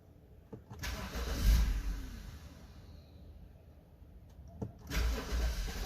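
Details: 2012 BMW 528i F10, engine cold in the morning: two separate low cranking bursts that never settle into idle, starts only after multiple attempts; hard cold start caused by faulty eccentric shaft sensor, fixed by replacing it.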